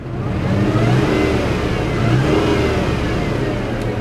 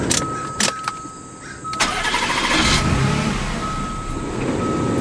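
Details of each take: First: 2002 Mazda Millenia S, about 60k miles, factory supercharger, just bought from auction and throwing vacuum-related check engine codes: revs up and settles with a faint high whine following the revs. Normal supercharger noise. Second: Supercharged 2002 Mazda Millenia S with about 60k miles, after vacuum-system repairs. The engine catches briefly, then runs rough with faltering bursts and won't settle to idle. The mass airflow sensor had been left unplugged.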